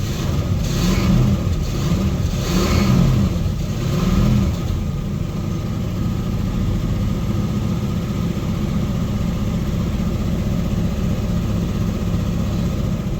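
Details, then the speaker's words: 1979 Lincoln Mark V (400 engine) cold start at about quarter throttle after a pump: uneven revving then drops to a low, rough idle that nearly shuts off, choke seemed to give out; runs great once warm. "nope that was weird the joke just gave out or something"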